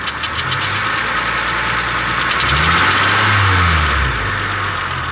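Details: 2000 Honda Accord V6 at idle: quick, slightly uneven light ticking at three or four ticks a second. Spark plugs were replaced two weeks earlier after a misfire. Owner suspects an exhaust leak from a vacuum hose or a spark plug. Not confirmed.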